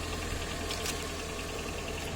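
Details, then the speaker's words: Nissan Cube Z11 4WD after replacing alternator belt (5PK1073), 4WD belt (6PK923) and both idler rollers to cure squeaks and whistles: steady smooth idle with no squeal, whistle or rattle. "производим запуск двигателя и наслаждаемся тишиной Ай какая красота не свиста ничего не гремит"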